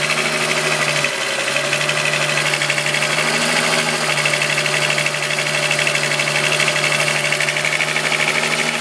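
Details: VW Golf VR6 2.9, 103,000 km, steady idle: a fast, uneven metallic rustle about three per second on top. The owner's chain rub got louder after replacing the upper hydraulic tensioner screw. Timing chain suspected, not confirmed.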